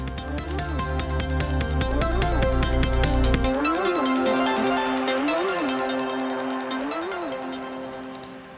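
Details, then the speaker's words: Nintendo Game Boy Pocket with corroded terminals, before capacitor replacement: the boot chime comes through with a heavy low buzz and smeared, gritty tone. Suspected failing 100 µF 6 V audio capacitors. Distorted speaker audio. "It's not that it doesn't have sound, it's just really corrupted. So I'm gonna go ahead and say that it's probably caps."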